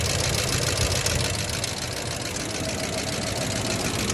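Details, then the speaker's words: 1990 Ford F-150 XLT Lariat 5.0 V8 at idle: a loose, uneven tick that is heard both underneath and up top and speeds up with rpm; the owner first suspected lifters and doubts a rod knock, cause unconfirmed. "I don't think it's a rod knock because yes you can hear underneath however you can hear it really well up top too"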